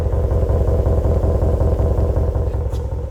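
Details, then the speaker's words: 2026 Ram with factory muffler removed via C&L delete kit and Borla muffler fitted, idling: nice toned exhaust burble, steady pulses, no rasp or crackle, about 40% louder than the Pro XS, clearly not stock but not outrageous; normal aftermarket idle. "nice and toned at idle. It does not have any rasp or any cackle, but it's got probably 40% more volume than the Pro XS did. Just enough where you can actually hear it. You can tell it's not a stock exhaust, but it's not outrageous."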